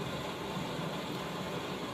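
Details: 1917 Blackstone 9 hp hand-start hot-bulb vaporizing oil engine (1¼ tons, 42 in flywheel) on household heating oil: steady rhythmless roaring hiss of a modern gas blowlamp heating the hot-bulb vaporizer before starting; normal pre-heat.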